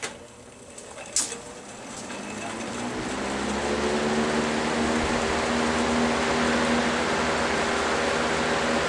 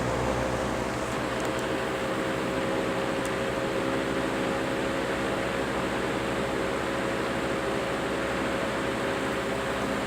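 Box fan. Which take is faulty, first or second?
second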